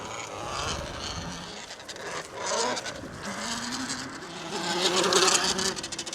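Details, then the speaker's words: Tuttio Soleil 01 electric dirt bike with a 2000W brushless motor, heard passing by: faint motor whine with a scratchy, buzzing rasp from the chain rubbing the chain guide. "And you could hear how that chain rubs that chain guide on the way by that noise is that chain hitting the guide."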